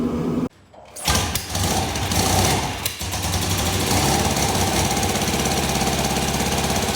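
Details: Norton 88 Dominator parallel twin after fitting a new spark plug and reseating a spring found wrongly placed: catches after a brief stumble then settles into a quick, even beat; both cylinders firing.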